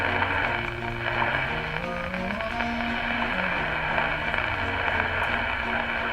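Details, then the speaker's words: 1934 Westinghouse WR-24 radio under restoration on a new outdoor antenna, tuning shortwave for the 2.5 MHz clock station: a faint, wavering signal buried under hiss and shifting whistles, fading in and out. Poor reception. "or anything I'm barely here sometimes it comes in better sometimes not but mostly it sounds like crap it's just pitiful boys"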